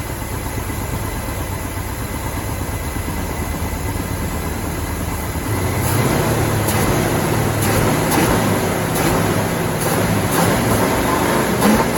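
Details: 1969 Mach 1 Mustang, apparently a 302 V8, sat almost 10 years, new NGK plugs, suspected ignition wiring fault: cranking, then it catches and settles into a steady, regular idle under loud clutch-fan roar, no knocking yet (a bottom-end knock developed later).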